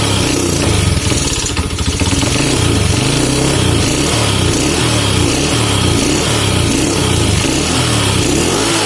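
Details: Honda C70 motorcycle with dusty, unserviced carburetor, piston crown flattened and cut down about 0.2: idling with a steady low thumping beat and a repeating knock, now somewhat quieter; source still not pinned down.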